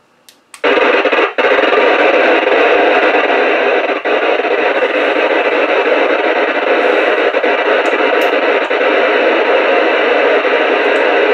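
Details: Radio picking up RFI from a Raspberry Pi on a wall-wart switching power supply, power cord without ferrite beads: loud steady hiss and buzz, no station audible; radio interference from switching power supply.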